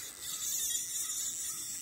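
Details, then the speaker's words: Zebco Slingshot spincast rod and reel combo, new and inexpensive, while reeling in: fast gritty high-pitched rasp with no smooth spin underneath; the reel's gears are grinding. "it's like I hear these uh gears grinding yeah I hear them yeah they don't sound good folks"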